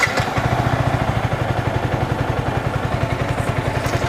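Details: Yamaha R15 V3 BS6 single-cylinder motorcycle at steady idle: even quick putter with no valve clearance ticking or clatter; engine sounds healthy.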